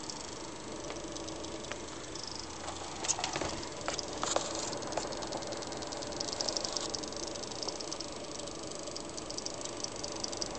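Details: XFX power supply (Seasonic-built, about two years old) in an HTPC: faint irregular ticks at random over a quiet hiss, starting after some time even at low load; owner suspects coil whine, cause unconfirmed.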